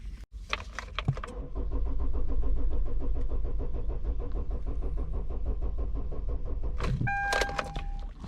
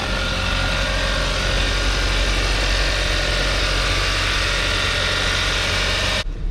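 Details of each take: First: 2013 Kia Optima with crank-no-start and no PCM communication: steady starter whirring for several seconds, but the engine never fires, the tach needle never moves and the crankshaft position sensor shows no response; cranks but no start. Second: 2013 Kia Optima with a crank-no-start and no PCM communication, now starting and communicating with the scanner after a paper clip was removed, on a hot day: steady, even idle with a smooth low hum and no misses or knocks.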